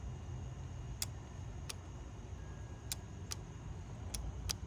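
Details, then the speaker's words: 2008 Honda CR-V evap purge valve tested with a Power Probe on the battery: six sharp, crisp clicks spaced irregularly over five seconds, each as power is applied; purge solenoid actuating properly, gas cap not the problem. "press the button and you can hear it clicking so that's a good sign so that's clicking right"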